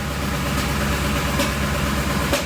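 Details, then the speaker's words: V8 (8 cylinders) at idle during scan-tool cylinder power balance test: steady idle broken by a sharp pop about once a second, cylinder 3 losing power each pop; intermittent misfire, cause unknown (ignition, compression or other suspected). "Every time I hear a pop, this comes down and it loses power. So cylinder number 3 is always down on power."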